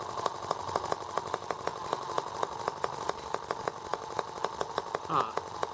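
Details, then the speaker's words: R18 model engine on first start with a replacement Hall sensor harness; ignition now works. Thin buzz with sharp, fairly even ticks about four a second, running rough and rocking hard. Imbalance cause unclear; owner wonders if an empty water reservoir matters. "Now I wonder why it's rocking so hard. I didn't loosen anything up. Alright, well, now I need to figure out why it's so unbalanced."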